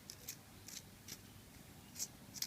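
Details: Old clutch release (thrust) bearing from a 1275 Cooper GT pre-verto engine in a Leyland Moke, removed and spun by hand on a finger: short dry rasping scratches every half second or so; worn release bearing.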